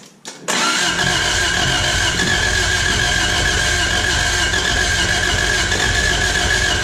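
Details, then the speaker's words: 1986 Toyota Corolla AE86, parked since 2010, first start after cleaning the spark plugs. Catches after a brief crank into a busy, slightly high cold idle as coolant temperature rises. High idle when cold, looks good. "Idling a little high, but coolant temp's coming up, so looks good."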